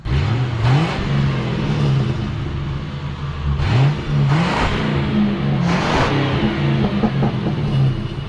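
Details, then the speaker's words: Mercury Grand Marquis/Crown Victoria (Panther) V8 with stock single exhaust, free revving: revs climb and fall with a few sharp exhaust pops on overrun; cause unclear, owner jokes about head gasket. "oh my God what the hell is this blown head gasket who knows I was surprised to hear there was a couple of Pops in that little thing"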